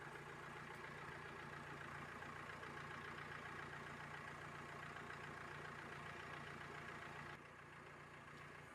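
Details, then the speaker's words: Mahindra Verito with engine running and AC switched on: steady idle with an even whooshing hum from the radiator fan after a new relay was fitted and power confirmed at the fan motor socket; fan now runs normally. "இப்போ வண்டி start பண்ணிட்டு AC போட்டால் fan run ஆகுது இல்லைன்னு பார்த்துக்கலாம். Fan run ஆச்சு, பார்த்தாலே தெரியும் உங்களுக்கு."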